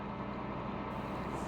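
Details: 2002 Ford F150 right after starter replacement, first start with clutch in: even steady engine drone at idle with no stumble or starter grind; runs cleanly, normal idle.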